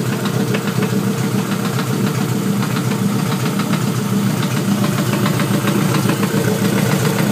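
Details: LS-block Honda VTEC engine at idle: a light, fairly quick knock of about two per second rides on the steady idle. The owner suspects rod knock but is unsure.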